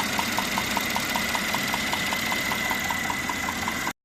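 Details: Mercedes-Benz E400, 3.0 biturbo M276, 333 hp, idle: sharp regular ticking about five times a second, alarming like a knock, traced to two leaking spark plugs with under 2000 on them; no mechanical play found.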